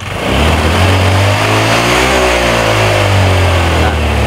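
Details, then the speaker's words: Old Honda Vario scooter at full throttle: steady drone that sags in pitch and recovers, stuttering as if about to die; charging checked fine, fault traced to the ignition side. "Nah ini kayak mau mati dia teman-teman ya di saat saya full gas itu sudah mulai e sendat-sendat kayak mau mati"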